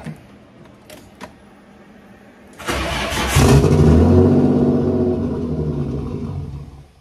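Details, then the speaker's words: Nissan 240SX with a freshly swapped RB25DET, no throttle cable, idle turned up: it starts after a few cranks, revs briefly, then sags and dies and can't hold idle; later found a sliced fuel return line with no vacuum to the regulator, though the owner is unsure that's the cause. "it won't idle and I don't have a throttle cable so I can't make it stay running well that's a letdown"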